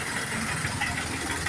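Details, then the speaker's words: John Deere 5078 tractor diesel after injection pump overhaul and reinstall that caused a strange engine noise: now an even, settled idle with no knocks or ticks once the pump gear was centred; noise gone, engine running right. "Aí, ó. Acabou o barulho que tava aí, ó. Beleza. Certinho, ó."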